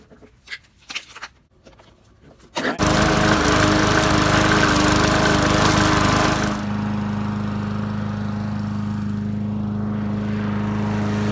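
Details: Free Bolens push mower, after repairs including filling with J-B Weld, RC12YC plug, cleaned air filter, cutting grass: starts after a few pulls, steady even buzz with slight drop under cutting load; normal running.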